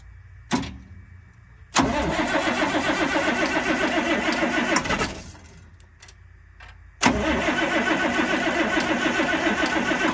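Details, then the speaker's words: 1997 GMC 7500 Altec bucket truck, Caterpillar 3116 diesel, first start after rollover repairs at 32°F with newer battery, no starting fluid: click, quick crank catches into even diesel run, twice; normal cranking and start. "It does run. Doesn't sound bad. No. Knocked a little bit there, but it's cold, so."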